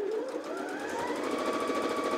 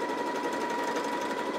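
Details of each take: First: New Janome JW8100 sewing machine, first stitches on four layers of cotton, straight stitch 00: steady rapid stitching with smooth rising motor whir, clean stop; sewing normally. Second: New Janome JW8100 sewing machine on maximum-width zigzag at 1 mm stitch length: fast stitching hum with a thin ringing tone swelling and fading in waves. Irregular noise from thread caught on the bobbin, an operator error.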